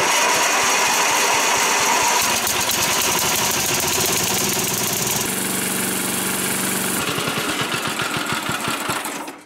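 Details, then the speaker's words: Old Dynamark riding mower (model 5285 3000) with Briggs & Stratton engine, after carb clean, fuel tank wash and coil swap for intermittent spark, on fresh fuel: fires up, steady even beat with throttle changes, then throttled down to stop (no kill wire yet). Running normally. "So there you have it guys, coil swap made the difference on this thing. So now we got spark all the time."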